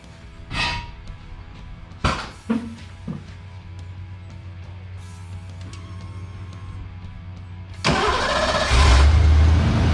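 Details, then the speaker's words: 1990 Ford Mustang GT 5.0L V8 with new plugs and wires and a new O2 sensor fitted, owner chasing an rpm surge that appears around 180–200°F; a few clunks, a brief crank, then a steady, even cold idle with no hunting. "that's pretty good right now"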